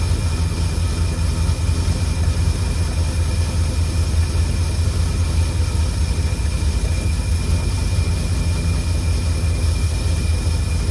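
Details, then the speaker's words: 1952 Cadillac Series 62 barn-find engine idling after the generator was oiled and the tank refilled with no active leaks: a smooth, constant deep idle with no whirring or ticking. The generator noise is gone and the engine runs clean. "There's no more worrying. And I put oil in the alternator or generator, whatever it is. So, it's definitely that that was making the noise. Boy, it sounds beautiful."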